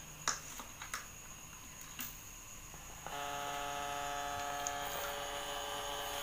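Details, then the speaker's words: Polytron compo stereo with an added Bluetooth module, powered without a stabilizer: after a few clicks a steady, constant-pitch buzzing hum that is loud even at low volume and louder in Bluetooth mode. Mains hum. "bisa teman-teman dengarkan ini posisi Diau kalaupun ini volume saya kecil noisenya udah terdengar keras"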